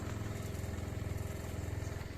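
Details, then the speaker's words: Shurflo water pump in a Clemenson 4x4 camper cell on Mitsubishi L200, first refill after winter, all taps open: buzzing, pulsing about ten times a second but drawing no water, owner suspects pump worn out; running dry, not priming. "elle ne tire aucune eau ça ne monte pas pourtant j'ai bien ouvert les robinets tous pour que ça puisse chacer l'air il se passe rien"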